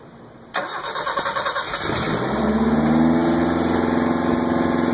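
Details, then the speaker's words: First start of a Fiat 1200 fitted with a Toyota 3K engine, after an ignition rewire: brief starter cranking pulses, then it catches and settles into a steady, even idle; healthy clean start. "You know, for Toyota, this sounds pretty badass. I guess I know why people hot rod those Starlets now."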